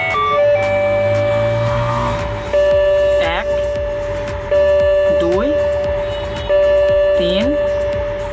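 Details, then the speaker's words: Ajanta musical pendulum wall clock set to two o'clock: tune plays, then three chimes about two seconds apart, one more than the set hour; strike count out of sync with time. "তিনটে ঘন্টা পড়লো আর আমার বাজছে এখন দুটো, তার মানে একটা বেশি হয়ে গেছে।"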